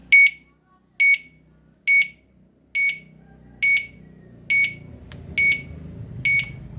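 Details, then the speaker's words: Uwinfly DF8 electric bicycle after its new horn was installed (the original never worked): normal turn-signal beeping, crisp even beeps about once a second with a faint hum, because the indicator is wired to sound through the horn. "Nah, itu nyalanya kayak gitu. Soalnya ini ya, ini sennya ngerangkap ke klakson ini."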